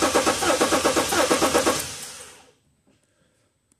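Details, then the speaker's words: 2010 BMW 335d M57 diesel crank-no-start: lumpy, inconsistent cranking cadence; scope shows a missing compression hump, one cylinder without compression. "not sure if you picked it up ably but it had a inconsistent crank Cadence sound and we can clearly see it here that we've got a missing hump"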